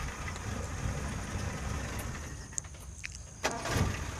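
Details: Colt T120 petrol engine idling with a steady, even low rumble, running normally after a hard-starting fault was fixed by replacing the points and points wire and adjusting the distributor.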